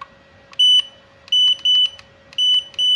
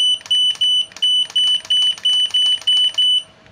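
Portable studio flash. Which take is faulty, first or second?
first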